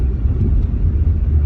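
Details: 1997 Jaguar XK8 that needed 3–4 start attempts, suspected bad canister purge valve. It now starts with the gas cap off as a temporary fix and settles into a deep, even rumble, no misfire or hunting; normal running.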